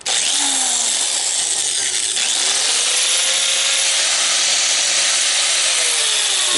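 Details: Grinder powered by a Belttt 1000-watt pure sine wave inverter on three lead-acid starter batteries charged by solar through a Victron 100/30: steady high-pitched grinding whir holding constant speed without bogging; the inverter runs it with ease.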